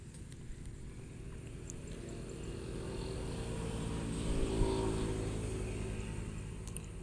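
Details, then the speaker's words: 2021 Honda Scoopy FI (Genio engine), engine apart, crankshaft turned by hand: dry gritty crackle each rotation from sand-contaminated, slightly loose crank bearing causing rough rumbling engine noise. "jadi ya ini yang menyebabkan suara gemuruh ketika pasir-pasir atau kotoran ini masuk atau menempel di bagian celah-celah bearing atau laker kurang lebih ya seperti ini bunyi kresek kresek kresek gitu"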